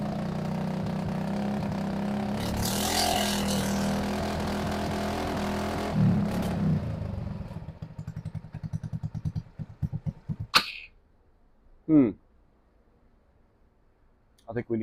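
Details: RPS ATV150 Sport 150cc quad, non-runner, first start after carburetor refit: runs roughly, firing pulses slow and fade as it stalls at idle; fixed by opening the idle screw for more idle fuel and warming up.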